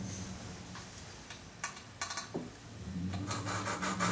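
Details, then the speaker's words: Volvo S70 2.4T used cylinder head, hand-lapping valves with suction cup and grinding compound: short gritty scraping strokes, showing valve and seat are not yet mated; lap until the noise turns smooth. "ever notice how you can hear that gritty grinding well you pretty much want to laugh the Val until that noise goes away"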